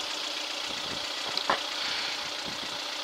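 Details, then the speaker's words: 1996 Geo Tracker four-cylinder after new head and intake gaskets, distributor rotor turned 180 degrees to fix no-start, running about ten minutes: even idle with light regular tick, soft pulses, no knocking or misses; no leaks, temperature watched, normal idle. "no leaks the engine sounds good I'm just waiting to watch the temperature and see if the temperature goes up but uh nothing's happening yet"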